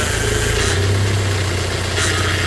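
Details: 3rd gen Toyota Hilux Surf/4Runner after steering rack rebuild with rack guide readjusted a turn looser: engine idles with low steady hum and no pump whine; power steering now quiet and healthy.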